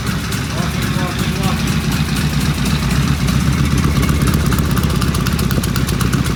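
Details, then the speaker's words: Vintage British motorcycle on its first start after the carburetors were tickled, primary still open, known previous runner, fitted with pseudo mufflers: a crisp, even thump at steady tickover with no knocks or rattles. It sounds healthy. "Well, as I am want to say, wow, you can't beat that with a stick. Wow, that sounded good. I feel bad is that sounds better than beauty did."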